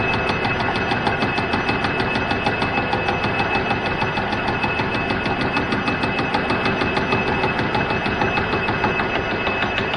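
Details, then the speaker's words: Cincinnati mill boring a welded DRO mount arm: steady cutting hum with rhythmic thumping about three beats a second as the hardened weld comes around each pass, boring bar springing; sounds like it's cut through. "so yeah you can really hear the thumping as that hardened weld comes around okay so that sounds like it's through"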